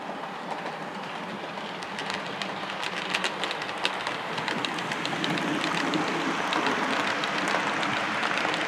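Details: Class 37 model locomotive, running on 28 speed steps: smooth quiet motor, rhythmic wheel clicks over the points, no gear whine or grinding; normal running.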